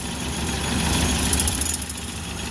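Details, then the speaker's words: Suzuki Carry 1.0 engine idling smoothly after repair; before repair it ran rough with clattering, diesel-like knocking at idle. Steady, even idle with a soft low hum, no knocking or clatter. "Nah. Sudah halus, Lur, mesinnya sudah halus."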